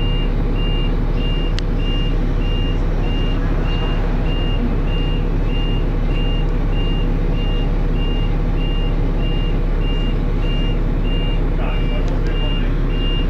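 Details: First Manchester Dennis Arrow bus R443ULE, with a slipping ZF gearbox: dashboard alarm beeps about twice a second over a rumbling diesel idle; the bus possibly overheated, as the driver called the depot mentioning temperature.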